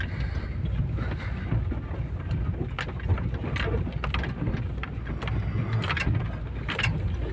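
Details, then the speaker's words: Opel Zafira driven on rough road after replacing right-front suspension struts for passenger-side knocking: loose irregular rattles and knocks over road rumble; driver suspects an unclosed door, found rear door open. "Что-то всё ещё гремит. Что это может быть?"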